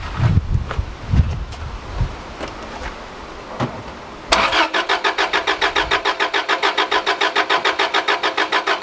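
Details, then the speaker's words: Subaru RS Liberty AWD turbo manual, parked 10 years, fuel sprayed into throttle body: fast even cranking about seven beats per second, no catch; owner suspects blocked injectors starting to clear. "see what that's going to do it sounds like it's starting to unblock the injectors or something"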